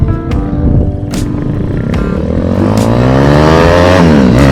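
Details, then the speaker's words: Honda CT70 with a swapped-in 212cc single-cylinder engine, ridden hard in second gear and lifting the front wheel: a deep thump climbing smoothly in pitch under load over background music; runs healthy. "yeah he got he got the front wheel off the ground second gear woo sounds like a [Music] hog"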